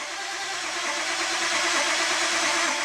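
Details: Old tow truck diesel being cranked while watching fuel pressure and ICP on a data log, fuel pressure and ICP coming up: steady cranking rumble with uneven catches as cylinders begin to fire, speed shifting; not yet running.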